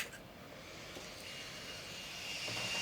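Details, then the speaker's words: Vicks cool-mist humidifier with an oversized 24 V replacement blower fan: loud, high-pitched airy scream, rising slightly, blown right at the microphone. Fan spins far too fast and is too noisy; a quieter fan is tried next. "so that thing is screaming. All right, I'm blowing it right on the microphone. I don't even hear it, but it is smoking fast. And that's ridiculous for this application."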